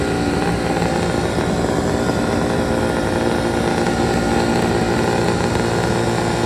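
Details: Detroit Diesel 8V71 two-stroke V8 from an old tour bus, injector racks tied at full fuel: steady flat-out scream with no rise or fall, full runaway before water is fed into the blower.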